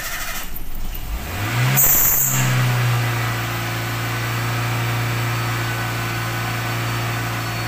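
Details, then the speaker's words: Toyota Avanza (same TPS as Myvi/Vios) after replacing the throttle position sensor: engine cranks, catches and holds a steady raised idle; high idle at start-up is expected and returns to normal after restarting 5–10 seconds later. "lepas kita tukar TVS dan kita start engine kemungkinan Alfian kita akan tinggi semasa kita staten"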